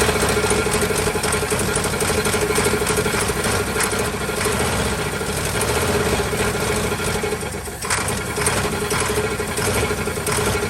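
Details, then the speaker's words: 1949 Ford truck, Thunderbird 312 V8, sat about 45 years, cold: lumpy uneven idle with steady whine; won't run on gasoline, carburetor apparently not plugged, owner suspects low compression. "She will not run off gasoline, and I've even messed with the carburetor. I don't think the carburetor's plugged up or anything. I think it's just low on compression at the moment."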